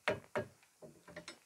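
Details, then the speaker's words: Opel Astra G with LPG: broken hood prop rod moves freely, hitting the LPG control unit near the front panel and the battery, giving irregular dull clunks, two hard hits then softer knocks; heard as noise from the hood area while driving. "Haliyle bu en ufak harekette buraya çarpıp da çın çın tın tın ses çıkartıyor. Eğer bu parça aküye çarparsa bakınız."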